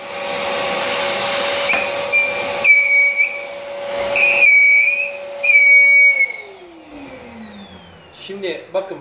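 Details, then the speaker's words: Rowenta Compact Power Cyclonic vacuum cleaner: shrill high whistle comes and goes over steady motor hum, stops when filter pressed, then motor winds down; air leaking past the filter seal. "Evet arkadaşlar buradan net bir şekilde görüyoruz ki bu sorun filtreden kaynaklı ve bunu yerinde bir Kaçak var"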